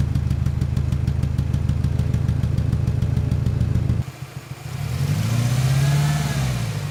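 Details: 1997 Ford Ranger four-cylinder idles unevenly with a lumpy, stumbling pulse, then revs, missing on cylinder 1: only 60 psi versus 180 psi on the others; leak-down air escaped via crankcase breather, oil cap and dipstick tube, indicating cracked piston rings.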